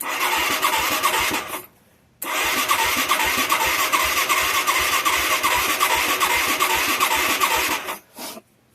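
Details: Mid-1980s Yamaha YFM200 Moto-4 quad, engine was seized but broke loose, rusty plug, weak spark, poor carburetor: steady fast whirring crank about two and a half beats a second with no firing or backfire; suspected no fuel, weak spark or low compression.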